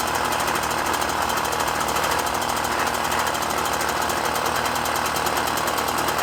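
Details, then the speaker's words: Puch Maxi moped, 50cc two-stroke, after O-ring sealed carb-to-intake air leak: fast even buzz holding steady without stumbling or surging; normal running. "turns out number 74 is the correct Jedi on this she's running great"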